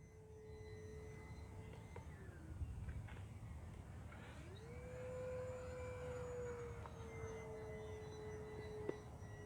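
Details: In flight on an E-flite Vans RV-7 1.1m electric RC plane on 4S, a clear whistling tone swoops up and slowly sags in pitch over the motor drone; an unexplained weird noise, cause not confirmed.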